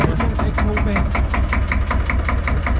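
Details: 1972 Nordan 21 fishing boat with 11hp Sabb single-cylinder marine diesel: low, even thumping at about two and a half beats a second with no knocks or misses; healthy normal idle.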